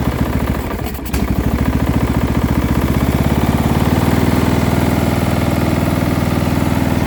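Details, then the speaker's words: Small engine from quick build, with muffler, meant for a Murray project if no knock: catches and settles into lumpy idle with low rattle under each firing, not a heavy thump; source unclear. "so okay there is a noise but to be honest it doesn't sound that bad it's not like a good thump thump some some knock"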